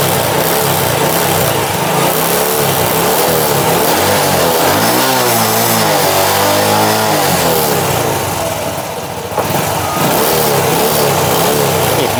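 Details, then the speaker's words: Honda Wave 100 after new C6HS spark plug and carburetor cleaning, air screw about 1.5 turns out, idle raised. Small single idles evenly, revs cleanly and drops back smoothly; the faint light ticking is the clutch dampers, which the mechanic says are audible. Normal idle and revving. "เร่งติดมือนี้ครับโอเคจบงานพร้อมส่งลูกค้าครับ"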